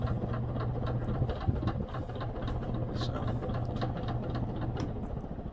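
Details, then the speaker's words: Robbins & Meyers 52-inch ceiling fan, list 5804, from the early to mid 1920s, worn from lack of oil: low, uneven knocking rumble three or four times a second under the motor hum as the rotor rocks on the worn motor shaft. The motor otherwise runs healthy, under 2 amps. "Yeah, that noise you hear is just the freaking rotor rocking on the motor shaft. It's pretty bad."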